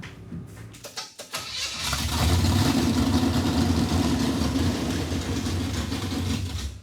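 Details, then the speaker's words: Junkyard 1957 Chevy revived after four decades: catches and runs rough a few seconds, then sags and dies when put in reverse; ignition timing had been retarded instead of advanced, so it can't take load. "there's still no fuel why did it die as soon as I put it in reverse"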